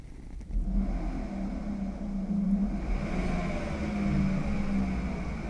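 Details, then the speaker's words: 1978 Volkswagen Bus electric conversion, first spin test with contactors, controller and throttle pedal: smooth low hum and steady whir under light throttle, no grinding or clunks; normal motor spin. "awesome we have our official spin test completed"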